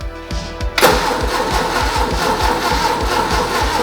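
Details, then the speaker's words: 1970s MGB sitting unused for years: steady rapid starter churn about four beats a second, never fires; no fuel moving, likely run out of gas in garage. "Well, we got gas not moving at all. Think this guy ran his car out of gas in his garage."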